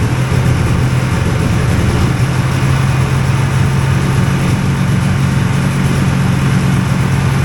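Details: Hovercraft two-cylinder engine at high rpm while trying to lift, carbs primed: a loud, steady roar with a harsh, heavy rattle. It ran nicely but ran out of fuel and did not lift.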